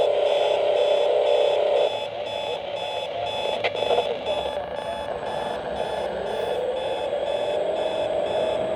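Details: Hotel room radio alarm set to AM near an airport: steady tone pulsing about four times a second over radio hiss; unexplained AM interference, owner suspects military jets or encoding.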